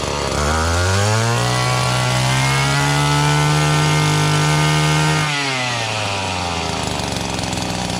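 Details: Echo (Kioritz) GT-200B string trimmer after a recoil starter pull rope repair. It catches, revs to a strong, even buzz, holds steady, then drops away at shutoff. It runs normally.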